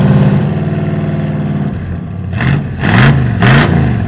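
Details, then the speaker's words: Cadillac V8: deep, even burble at idle, then three clean throttle blips that rise and fall smoothly. It runs well and sounds healthy. "Ready to start this thing? Wow. This sounds good. Runs pretty good."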